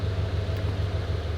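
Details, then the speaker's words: Scion FR-S boxer engine idling after rescue from neglect: deep steady low thrum with offbeat lope, even throughout; crew says it sounds great and almost like a regular car missing a cylinder. Normal idle. "so it sounds really doesn't it sound really good Mr Jack yeah see it sounds great"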